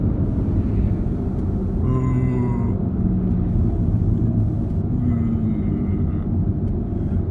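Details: 2008 Saab 9-3 1.9 TiD 150 at about 56 mph: steady low hum from driver-side front wheel area with faint metallic tones; bearings and brakes checked fine, tyre swap no change; garage suspects driveshaft, extension or final drive.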